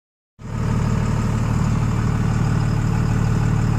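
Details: 24-valve Cummins diesel truck before nozzle swap (stock pop pressure about 3500-3800 psi), miss at idle getting worse: deep idle with uneven lumpy beat about three times a second, stumbling firing rhythm; misfire at idle.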